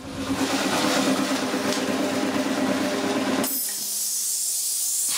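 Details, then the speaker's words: Air compressor running on 2500 W Edecoa pure sine wave inverter, steady motor and pump chug then air hiss; started normally without soft starting, clean sine wave, running fine. "that sounded like a clean amount of sine wave going through that air compressor it run it all right awesome it actually started normally without slow starting at the soft starting so it's not bad at all"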